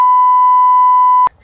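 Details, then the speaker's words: Sky Viper Fury drone with a dead battery after flying: one long steady high beep lasting just over a second, then silence. This is the low-battery warning. "See that it's dead, right? You can hear the beeping."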